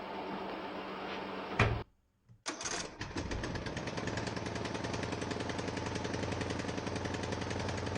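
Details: Ariens 42" geared riding mower, 17.5 hp Briggs & Stratton (31C707), Nikki carburetor, long neglected, restarted indoors, throttle at rabbit, smoking heavily: cranks, catches, fast uneven stumbling chatter; rough running, owner suspects old gas, carburetor not yet cleaned.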